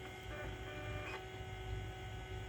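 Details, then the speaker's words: Macintosh SE running System 6.0.8 after clock battery replacement, SCSI hard drive possibly reconnected wrong: steady motor hum with faint high whine and brief seek rattle; drive spins up and seeks but isn't working. Cause suspected, not confirmed. "it's possible i also plugged it back in wrong sounds like it's spinning up and it's seeking"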